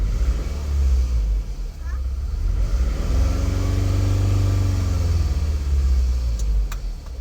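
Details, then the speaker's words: 2008 Scion tC idling rough with lumpy, irregular low thumping; scan shows cylinder 2 misfire, spark plug or coil pack suspected. "it it's running really rough I don't know if you can tell"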